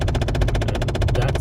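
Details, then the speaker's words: Car driving, heard in cabin: fast, even tapping behind the dash, about a dozen taps a second, over low road rumble; suspected failing temperature blend door actuator, not confirmed. "right there that tapping 20 bucks but to get to it i have to take some of the lower part of the dash off"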